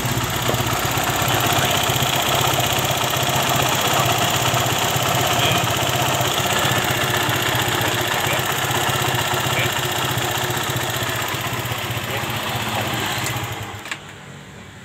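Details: Suzuki Satria FU motorcycle, previously hard to start and dying soon after, tested after repair (parts isolated/taped so water can't get in; drain under exhaust suspected dirty): crisp, even two-stroke-style buzz with regular quick beat, no misses, then shuts off; running healthy.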